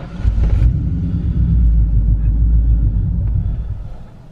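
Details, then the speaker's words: Ford Mustang project car "Turdzilla" after a fuel filter replacement failed to fix its start and stall problems: low uneven rumble for about three seconds, then it sags and dies. Owner suspects the fuel pump or air in the lines. Stalling after start. "so the car doesn't seem to be idling fine I was having some issues with the car stalling at stoplights"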